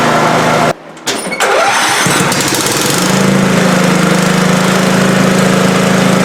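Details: Older Scotts 1642/1742 riding mower after spindle, pulley and belt repair on the noisy deck: engine catches after a brief stutter and settles into a steady, even drone with no knocks or grinding, mower engaged, running normally.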